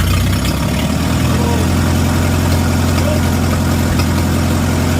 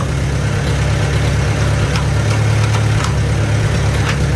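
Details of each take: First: Antique Farmall gas tractor after magneto install and timing set, gasket not yet fitted: loud idle with slightly uneven, loping beat under a deep rumble; carburetor needs adjusting. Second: Farmall A gas tractor after magneto install and timing set, driving in second gear at about one-third throttle: steady low chugging, even firing, no misses, knocks or popping; normal running under load.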